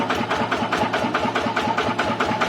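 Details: TF115 motorcycle engine upgraded to 150: steady, even idle pulsing about five or six times a second with no ticking or misses; valvetrain healthy.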